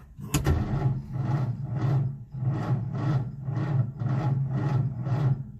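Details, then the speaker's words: Old Nash four-stroke car on a 6-volt system with boost box, after fuel pump sediment bowl replaced by a fence post cap: slow, even cranking about 1.5 turns a second that never fires; seems out of gas, owner plans to prime carburetor. "Uh-oh. She is out of gas. I don't think this is going to work. I may have to prime the carburetor."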